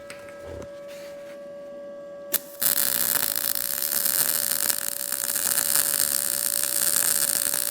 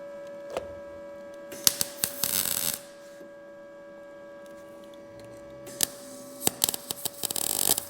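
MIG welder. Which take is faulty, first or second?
second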